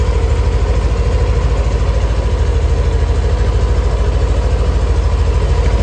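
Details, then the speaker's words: Yamaha NMAX Neo (third-generation) scooter at 6,300 km, warming up before an oil change so the oil thins and drains fully: even steady thumping idle about three pulses a second, no ticking or knocking; normal idle. "Kenapa kok agak panas? Kalau oli agak panas itu kan biasanya agak encer, jadi biar dia turunnya nanti biar benar-benar bisa bersih."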